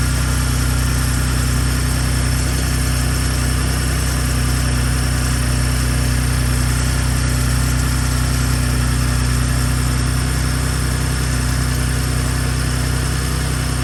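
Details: Gen2 Ford Raptor cold start at about 53°F after two days unstarted: steady idle hum with light metallic rattle on top; owner suspects cam phasers, possibly turbo actuators, unconfirmed.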